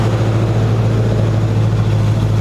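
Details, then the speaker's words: 1965 Ford Mustang V8 with carburetor and a new 2.5-inch header-back true dual exhaust, cold start with packing oil burning off the pipes. Deep steady idle with an uneven pulse underneath; the rough idle was caused by a misrouted PCV hose. "We got to work on the idle. The idle's not quite right, just with this carburetor and everything."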